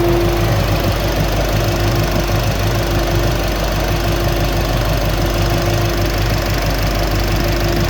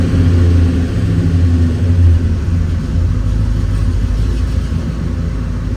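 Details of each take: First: 1968 Chevelle wagon idling after sitting two weeks, owner suspects fuel problem, fuel pressure steady: loud, steady idle with a faint quick ticking heard when the fans turn off; normal injector ticking. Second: 1968 Chevelle wagon after reseating a loose spark plug boot, gas pedal held steady: rumble surges and stumbles unevenly, still a persistent miss.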